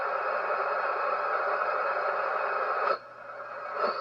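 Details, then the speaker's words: HF receiver with a steady hiss and a few faint fixed tones, the same across the bands including 160 m, then briefly dropping out; constant interference, source not identified, making HF dead. "it's everywhere it's literally freaking everywhere that's the center right there no matter where i go that noise is there"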